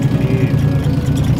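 Lumpy, uneven idle with a low throb pulsing several times a second; this engine is running badly, cause not yet pinned down. Cause suspected, not confirmed.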